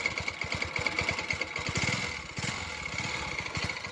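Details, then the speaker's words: Bajaj Pulsar NS 200 single-cylinder engine idling: light metallic rattle over the steady thump, a timing chain noise from the right-side chain, caused when the tensioner is bad. "अगर tensioner खराब होगा तभी timing चैन की आवाज आएगी। तो इसमें अभी टाइमिंग चैन या की आवाज आ रही है।"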